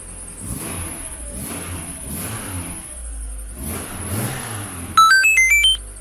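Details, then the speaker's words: 1997 Mitsubishi Eclipse Spyder, the day after custom exhaust work with a flex pipe and sealant: engine blips and settles several times with no ticking or puffing; squeaky belt still present, no exhaust leaks; sealed, quiet exhaust. "quiet besides my squeaky belt still I don't hear any leaks sounds good"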